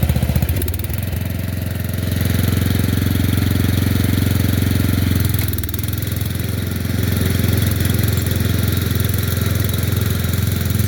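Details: Murray Select 30" riding mower mowing on a slight incline with unsharpened blades: single-cylinder engine pulls steadily under load, brief dip and recovery, even firing throughout; runs fairly well and cuts decently.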